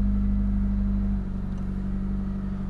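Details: Ford Escort idling from cold: a steady low engine hum with an even beat and no tapping or ticking over it, a smooth healthy idle. The owner notes a slight lifter tick only when it is really cold.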